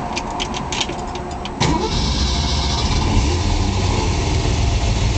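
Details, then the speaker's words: 1966 Ford Mustang K-code GT 4-speed Fastback, solid-lifter K-code V8 over 270 hp: starter cranks briefly, fires right up cleanly and settles into steady, even idle with solid-lifter lope and proper exhaust tone; healthy, no issues. "fires right up you will hear the difference in this motor if you haven't heard a k code motor solid lifters proper exhaust tone this car is super correct phenomenal condition"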